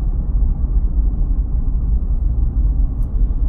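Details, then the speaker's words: Toyota 4Runner with LFD Off Road crossbars mounted at the very front of the roof rails, at 40 mph: only a low, steady tire rumble with no whistle or hum. No crossbar wind noise yet; it starts around 45–50 mph. "This is 40 m hour right now all I hear is just the tires"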